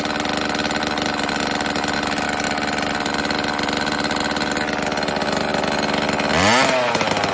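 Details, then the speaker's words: Homelite XL chainsaw, cold choked start after carburetor rebuild and new oil lines, fuel filter and chain oil: steady even two-stroke buzz, then a clean rev up and back down; chain oil flows after about a minute, low-speed screw adjusted slightly; runs normally. "so after a minute or so there's oil coming out of it had to make one more slight adjustment on the uh the low and I think I'm good to go"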